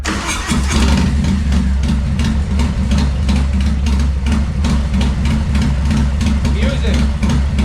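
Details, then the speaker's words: Harley M8 with an S&S 475 bolt-in cam, Two Brothers 2-into-1 exhaust and timing tune, idling on the dyno: deep, uneven, choppy loping idle with strong exhaust thump. A healthy big-cam idle, no longer the stock sewing-machine sound. "As you guys will hear, this thing has a nasty mean idle. Um anybody who owns an M8, you know, they sound like a sewing machine until you do at least the cam and then it starts sounding like a Harley again."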